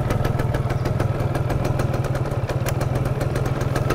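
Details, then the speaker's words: 1999 Yamaha F1ZR Limited Edition two-stroke, restored, idling on the stock unmodified exhaust with standard oil-pump setting and thin smoke: crisp, even popping idle at a steady quick beat, no knocks or rattles; running smooth and healthy. "Jadi suaranya seperti itu ya, masih halus. Kemudian kalau suara knalpot standar yang belum bedel itu ternyata enak ya didengerin ya, itu renyah banget."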